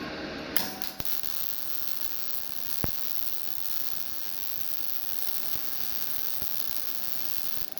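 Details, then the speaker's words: GZ Guozhi MIG 200P welder after turning the wire speed down to 100 (setting stated as 115.5): a constant crackling sizzle with a few pops. The settings are getting closer but are not perfect. "I feel like we're getting a little closer."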